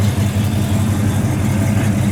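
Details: 1968 Chevrolet Impala, 383 stroker V8 with cam, open-chamber Flowmaster-style mufflers, idling at 190° temperature and 25 psi oil pressure: deep steady burble with fairly even lope, no ticks or knocks; healthy idle with throaty exhaust.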